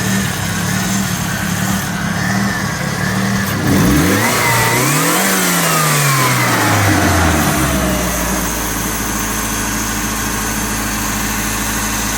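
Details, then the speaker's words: Ford Capri turbo, about 40 years old, being returned to the road after 15 months laid up: steady idle, two clean blips that rise and fall smoothly, then a settled even idle with no misses or knocks; normal revving. "But I need it ready for the end of the year. But it is running well."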